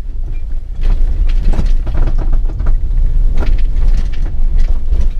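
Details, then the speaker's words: Subaru Crosstrek on 215/75/15 tires driving a gravel road: irregular metallic rattling and clunking over low road rumble as the detached sway bar bushing and bracket swing and hit; bent end link and rear trailing arm found. "rattle is from that sway bar bushing swinging around and hitting"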